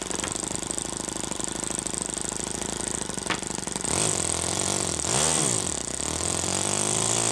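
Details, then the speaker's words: First startup of a Toyan FS-S100AC miniature four-stroke methanol kit engine: settles into a quick, smooth, even buzzing idle at roughly 1000 rpm with no misses; runs really smooth and healthy. "okay so it looks like it ran and it ran really smooth it was idling at like i don't know a thousand rpm"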